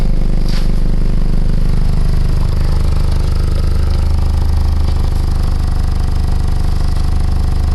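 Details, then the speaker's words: PT Cruiser 2.4 idling after a used cylinder head was installed gives a loud, throaty rumble and fast puffing from an exhaust leak at a clamp whose retaining bolts broke; the pipe isn't rusted. "Right where that clamp's at. It's not rusted or anything, it's just that clamp, the retaining bolts broke on it."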